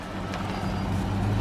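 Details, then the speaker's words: Test drive up and down the driveway after replacing a U-joint: low even road rumble, no clunk or squeak from underneath; earlier noise gone, confirming the U-joint was the cause. "that's gone I don't hear it would have made that noise already so it was a u-joint I know I'm the man"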